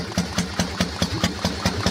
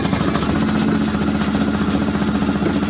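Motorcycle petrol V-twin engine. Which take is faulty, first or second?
first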